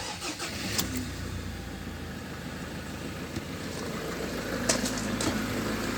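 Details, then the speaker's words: 2015 Ford Ranger Limited showing 50,088 miles, with new front springs and a fresh MOT pass. The engine catches on start-up and settles into a smooth, steady idle with no squeal, tick or knock; it sounds healthy. "No squeaks, no noises, no nothing."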